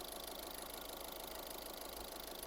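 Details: 2013 VW Caddy diesel with low fuel pressure (P0087), idling after fuel filter replacement, run about 10 minutes, filter checked and dry with no leaks: steady, even idle clatter with no stumble or hunting; normal idle.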